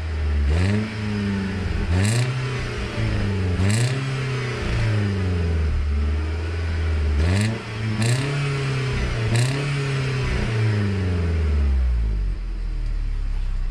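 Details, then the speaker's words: 2002 Mercedes C230, supercharged four-cylinder, with a suspected battery or power fault. On the exhaust note, five clean throttle blips each rise sharply and fall back to a steady idle; the engine revs freely and evenly. "let's give you a little exhaust note"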